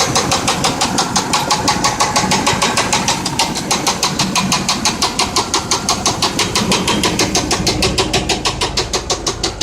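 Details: 1992 Buick Roadmaster V8, lost power on the freeway and has since sat over a year: idles with a loud, steady metallic knock about three times a second, a rod knocking.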